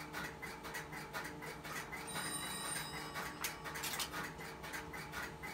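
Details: Automatic Electric (GTE) 120B coin payphone on central office trunks: steady dial tone, crisp relay clicks and coin dropping into the cash box after the call; collects the coin and works properly.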